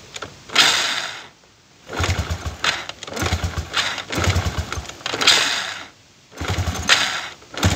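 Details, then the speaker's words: Chinese 125cc iron-cylinder kick-start motorcycle on a fixed-timing five-wire AC CDI firing far too advanced: repeated kicks give short sputtering bursts that catch then die, very hard starting from over-advanced ignition timing. "Bueno veo que le cuesta un montón arrancar ahora la arranco y ya vemos ese punto"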